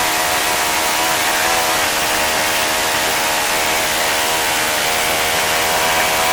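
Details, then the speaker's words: Saito FA-65 four-stroke model engine at low idle with high-speed needle set for flight: loud, buzzy, slightly uneven drone with soft blubbery edge; idle mixture quite rich, aiming for ~2500 rpm from previous ~3300 rpm idle. "Bridget sounds right now here's the Archaean increased by it is quite rich"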